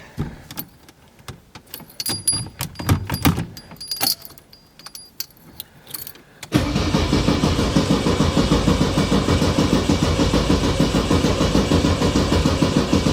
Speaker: let's see if it starts without pumping it I doubt it